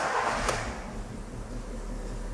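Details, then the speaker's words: VW Fox after throttle body cleaning and relearn, no faults stored: short crank catches right away and settles into a smooth, steady low idle with no stumble; clean healthy start, scan tool loses communication from voltage drop during cranking. "aí pegando facinho de boa normal ele perde a comunicação tá existe uma queda de tensão na hora da partida"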